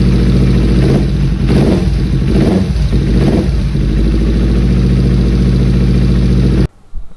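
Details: 2013 Kawasaki Ninja 250 FI (EX250-L) twin, about 40,000 km, idling with a steady low hum and no cam chain rattle after fixing a weak cam chain tensioner, then cuts off; normal idle.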